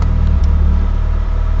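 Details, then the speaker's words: Warm engine after installing an in-line Radium fuel pulse damper and Varex muffler: smooth, low, steady idle drone; the fuel-system clicking and oscillation heard before are gone. "so now when the car is warmed up you can't even really hear any of the oscillation anymore before it'd be kind of loud"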